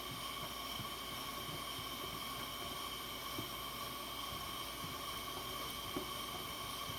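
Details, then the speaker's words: Coleman 502 camp stove after cleaning, check valve service and carb cleaner, generator warmed up: steady, even hiss with no sputter or pulsing; blue flame, burner running clean and healthy. "let's see here where i can get you where you can see it got a pretty pretty blue flame that's running good"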